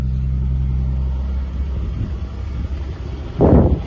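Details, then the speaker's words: Buick Park Avenue Series 2 3800 V6 cold start at -4°: very slow cranking, then a very rough start with a wavering, stumbling low rumble; needs to warm up. "wow this thing's got some hypothermia it's not happy about the cold that's for sure that was very slow I'm going to find the electrics a little bit here we go whoa that's a very rough start the 3800 make that noise before"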